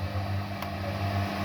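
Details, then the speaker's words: HP 830 G6 laptop after repairing no-power fault, motherboard resetting on power-up: steady low hum with fast even whir, no rattle; fan spinning very fast before HP logo display appears. "Give it some time guys. Let's give it some time. I can hear fan spinning really very fast."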